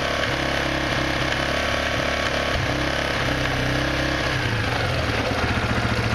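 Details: Quad (ATV) engine revved: a fast, dense clicking riding on top throughout, still present with the clutch lever pulled in. Origin unknown.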